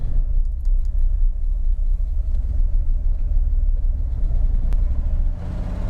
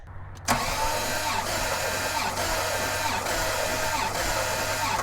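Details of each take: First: Abandoned, stripped 1989 Bentley Turbo R V8 running about 10 minutes: a deep, lumpy idle that stumbles unevenly, with idle dropping and rough response to throttle. Engine misfire; owner suspects a fouled rear spark plug, unconfirmed. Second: Abandoned, stripped 1989 Bentley Turbo R compression test: steady even starter cranking with regular pulse about once a second; cylinder reads 145 PSI, called good, though another reads 170.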